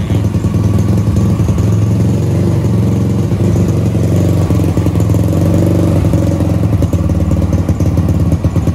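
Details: Supra X Daytona single with a new Yuasa battery after sitting long with stale fuel and a dead battery; carburetor clean. Steady low putter with a loose clattery edge, holding even at idle and through light blips. Runs healthy.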